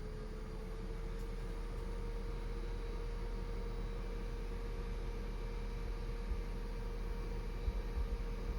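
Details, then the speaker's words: PSA car, 208,000 km, actuator test with a Launch Creader Elite V3 scan tool: steady mid-pitched fuel pump hum runs evenly under street noise; no fault detected. "Et en tout cas, on entend très bien la pompe à carburant à chaque fois que vous vous les démarrez et que vous tournez la clé de contact,"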